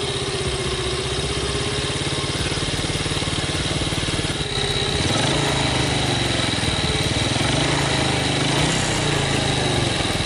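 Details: 2006 Yamaha Vega R New after engine rebuild replacing key worn parts, previously rough with worn bearings; steady even single-cylinder idle with a light blip, now smooth with no harshness, normal idle.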